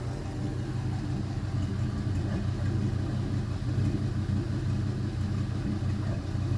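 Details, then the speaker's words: Gen 3 LM7 5.3L Vortec V8, iron block, 862 heads, 151k miles, warmed up with about 44–50 psi oil pressure: smooth, even low rumble at steady warm idle, no ticks or knocks, no smoke; valvetrain quiet, normal idle. "no smoke or anything valve trains nice and quiet"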